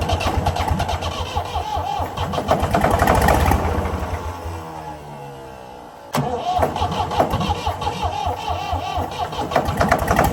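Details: Previously seized Ford 4000 diesel tractor cranks, runs rough on starting spray, fades and dies, then fires again with uneven knocking; won't sustain without spray, owner suspects throttle and air, possible diesel leak.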